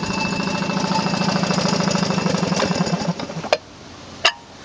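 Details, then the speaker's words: 1940 Sears Waterwitch 3/4 hp air-cooled outboard, model 571.34, cast-iron cylinder, no-throttle carburettor: runs with a fast, even metallic clatter about three per second, then stops; the clanging is the unusual recoil starter and is normal. "that noise that you may hear which is a clanging noise is a recoil which is kind of crazy how it works"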